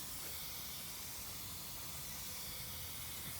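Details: Lennox gas package unit with no cooling or heating, refrigerant added from a tank through gauges; steady hiss of gas escaping under pressure, no motor running: refrigerant leak.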